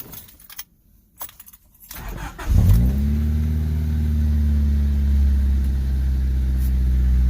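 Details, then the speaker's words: 1995 Honda del Sol after fitting a new 255 lph fuel pump: keys rattle, quick catch and brief flare, then a smooth, even idle; starts cleanly and runs right, pump audible and loud. "We on, baby. You hear the pump going? Alright, we good. I'm gonna let it warm up and then give it a couple reps."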